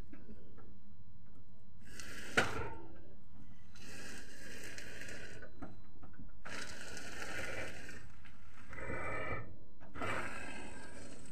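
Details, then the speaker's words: Renault Mégane, ignition on: groaning bursts each time the wheel reaches full lock, mostly right, sometimes left, with one sharp knock between; steering clunk, cause unknown. "وقتها في اخر لحظة يعني تعمل تقربيع وقوية، هي خاصة في الخرجة معناها في الشيلة اليمين، الأكثرية هي في الشيلة اليمين، يعني تصير تدور الفولون على اليمين الكل، حتى على اليسار ساعات زادة تصير تقربيعة هذي."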